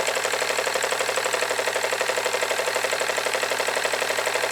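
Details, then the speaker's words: Jensen Model 25 toy steam engine, first run: crisp, even chuffing about four beats a second, running in both directions, slightly faster clockwise; safety valve lifting a little, no appreciable steam leaks; runs smoothly. "she is running in both directions that is very good to see safety valve is lifting a little bit"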